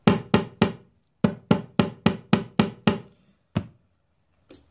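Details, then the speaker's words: Acoustic guitar top tapped over a loose brace, compared with an already reglued solid one: sharp taps about four a second, each with a dull, buzzy tail. The brace is loose inside. "let me show you the noise you're gonna be listening for right here and again here's the one right up here this one has already been reglued and it's solid here's the one that's loose"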